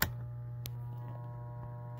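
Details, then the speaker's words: Coleman Mach 8534 high-efficiency heat pump RV rooftop air conditioner gives a steady, low mains-pitch hum and nothing spins up. The unit stalls, humming instead of running; its start, run and hard-start capacitors are suspected. "Nothing, just humming. That's no good. Can't have just hum. We want that thing to run."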